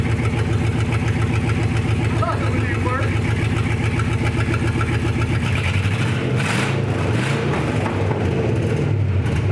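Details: Gen 3 Hemi V8 in a 1952 Dodge pickup, on its first start after new exhaust and key-switch wiring: the engine catches and settles into a lumpy but even idle with no tapping or knocking; normal idle.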